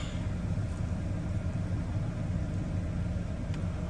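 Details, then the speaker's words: 2013 Kia Sorento, push/remote start at a dealer auction, no engine light: low, even idle rumble with no ticking, knocking or stumbling; idles smoothly. "It's idling all right."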